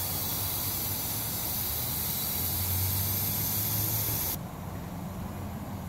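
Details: Ford Explorer overheating, with a burn mark on the hood center and new wet spots underneath: loud steady hiss of escaping steam over a low idle rumble for about four seconds; the thermostat and housing were later replaced.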